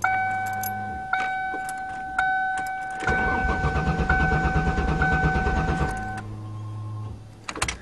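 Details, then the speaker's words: 1994 Ford Taurus wagon, cold start after reconnecting electric fuel pump plug on fallen gas tank: door chime, then about three seconds of even cranking, never catches; cranks, won't start, owner suspects it needs priming, likely no gas. "maybe needs primed"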